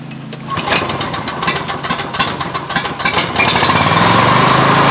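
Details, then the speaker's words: Coleman Powermate 6250 generator, Subaru engine, with a load of about 400W applied after a governor adjustment: uneven thumping that settles into a lower, labouring drone. Output fell to 100V/47Hz from 121V/66Hz; the engine bogs under load. "i guess that governor was the wrong thing to do they dropped it all the way down to 100 volts and uh 47 hertz so uh that was not a good idea"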